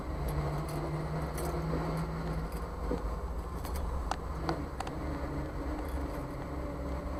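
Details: Jeep CJ5 driven slowly through lazy-8 turns in a parking lot, then wheel turned back and forth while stopped: low engine rumble with sharp pops and clicks from the front end; source unknown, owner suspects U-joints, ball joints or steering components.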